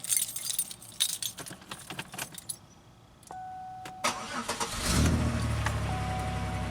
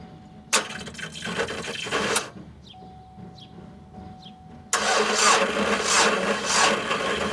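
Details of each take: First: 2003 Pontiac Grand Am GT coupe after battery replacement and new taillamp assembly: keys, then a quick, strong crank and the engine fires and holds a steady, even idle; much stronger start than before. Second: 2003 Pontiac Grand Am GT coupe with weak two-year-old battery, cold day: sluggish cranking bursts of about three to four turns a second with a chime between tries; it barely turned over, and the battery needs replacing.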